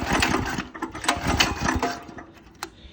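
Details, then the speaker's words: 196cc go-kart engine with new 30mm carburetor, revved on a stand at full throttle: irregular sharp pops and crackles in exhaust at high revs; owner suspects flames, none seen, engine keeps dying. Exhaust popping at high revs. "so I've been hearing this weird sound with the new carburetor on the go-kart it's like it's popping and I'm not sure what it is I think it's like Flames or something"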